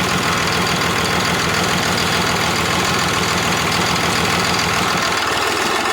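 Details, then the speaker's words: Cummins diesel from an old bus, sat outside about 3.5 years, first start; loud, uneven diesel clatter at idle; cracking lines shows one cylinder makes no difference, dead from air in its injector line. "like that like that so those two are firing good this one's making no difference at all"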